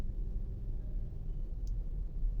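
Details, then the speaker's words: 2017 Nissan Patrol petrol with intermittent no-crank no-start, code C1116-00 stop lamp switch; starts after brake switch activates; quiet steady low rumble, no misses; idling smoothly. "अभी मैं गाड़ी को इधर से start करता हूं य देख सकते हैं अल्हम्दुलिल्लाह गाड़ी स्टार्ट हो गई"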